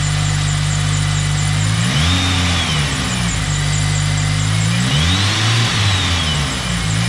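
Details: Rotrex-supercharged Toyota Celica warming up after sitting a few weeks: steady lumpy idle with two clean throttle blips rising and falling smoothly, loud from the rear, faint belt chirp; engine healthy.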